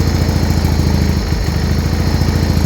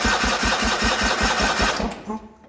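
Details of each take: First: Original 1980 John Deere 317, first start after about three years unused, tank pressurized to feed the pump and carb, started with choke and a little throttle: steady, even low chug with a regular firing beat, no knocks or misses. Normal idle. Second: 1980 John Deere 317 garden tractor, not run in about three years, rebuilt carb, new battery: starter cranks evenly at about five compression beats per second for two seconds, never fires; won't start on gas, owner suspects no fuel reaching carb.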